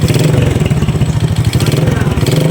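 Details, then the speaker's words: Honda XRM 125 carburetor motorcycle with heavy smoke: loud single-cylinder rattle with a hard repeating knock under the exhaust beat, fading when revved; engine knock attributed to oil-starvation damage to piston, conrod and cylinder. "malakas po yung tunog niya. Pag i-birit mga busing ay mawala."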